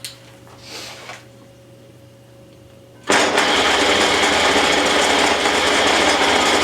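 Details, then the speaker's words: Old Rockwell Beaver table saw motor, first startup after repair and reinstallation (previously rattling fan, wobbly pulley): quiet, even run with faint rhythmic belt thump; much quieter, remaining noise attributed to belt vibration; motor sounds healthy. "well I'm gonna call that a success it's much much quieter than it was when I started a little bit of noise that is left I feel it's definitely due to the belt causing a lot of vibration"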